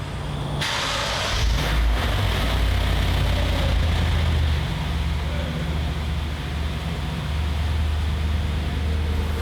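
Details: Wrecked Lexus RC-F under rebuild, idling right after its first start following teardown: steady deep idle with an even low rumble and a brief hiss at the start, running smoothly and healthy.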